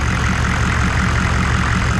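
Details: 1994 2500 diesel truck after a fuel filter change, with the air bled out by key cycling and cracking the hose fitting until fuel sprayed: a low, even diesel rumble with a steady firing beat and no misses. A healthy idle.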